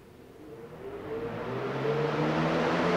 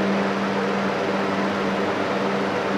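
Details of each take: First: Arduino-controlled DIY shop air cleaner fan, first power-up with low speed selected: motor spools up with a rising whoosh and hum into a fast roar; owner suspects the two speed wires to the relays are swapped, later confirmed high selection runs low. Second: Arduino-controlled DIY shop air cleaner with a three-speed Galaxy-brand fan switched by relays, set to high speed after low: smooth, steady hum with an even airy rush, no wobble, rattle or rubbing; normal fan running on high speed.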